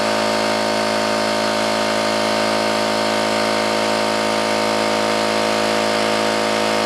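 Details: New oil-lubricated Campbell-Hausfeld air compressor, regulator fully down and drain valve closed, filling tank under load: constant even pumping drone with steady hum, no metallic clatter; running normally.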